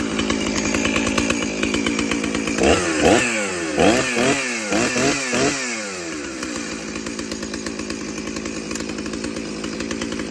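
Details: Stihl 034 chainsaw, cleaned up with fresh oil: fires right away and settles into a steady, crisp two-stroke idle with a few clean throttle blips; runs healthy.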